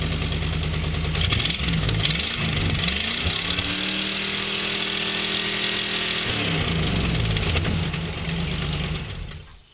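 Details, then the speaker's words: 5.8 L engine ("Big Baby") started on its own regular battery for comparison after jump-start testing: starter cranks briefly, catches cleanly and settles into a steady idle; normal start. "Just for a comparison aspect, I'm gonna kick over Big Baby on its regular battery just so you can hear the difference."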